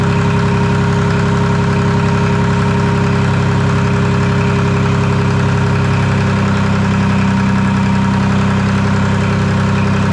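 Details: Detroit 3-53 two-stroke diesel first start after 25 years, camshaft reversed after a backwards install in its 2000 rebuild, no exhaust or driveshaft fitted: even, buzzy drone with steady beat, pitch lifting smoothly when revved. Normal running.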